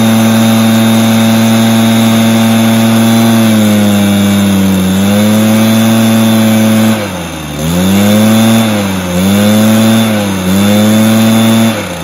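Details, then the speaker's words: Stihl BR430 two-stroke backpack blower: steady high revs, each throttle blip sags and drops in pitch before recovering, runs better with some choke; bogging on acceleration, carburetor issue suspected, piston damage possible. "it's bogging down when I go to rev out if I give it a little bit of Choke then rev it out and I keep the rows higher then it will do the job so it's definitely got a carb issue I would say"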